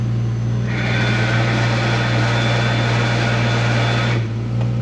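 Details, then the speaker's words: Rear-wheel-drive 2JZ-GTE-swapped Honda Odyssey, a bit cold, at start-up: loud steady low drone with a rough whirring layer fading in and out from the gearbox; owner suspects spigot or thrust bearing, tail shaft seal also leaking, gearbox coming out. "The spigot bearing I reckon's gone on the gearbox, and then the rear seal, like your tail shaft seal to the back of the gearbox, started leaking. So gearbox has got to come out sadly. I reckon it's spigot or thrust, but listen to this joyful noise."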